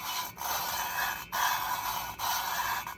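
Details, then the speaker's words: VW Beetle cylinder head, valve number 3 lapped with a drill and lapping compound: smooth, continual rasping strokes with no skipping or gritty catch, so the valve seats properly all the way around. "Okay, I just did number 3 with the drill. And I'm just checking for continual noise."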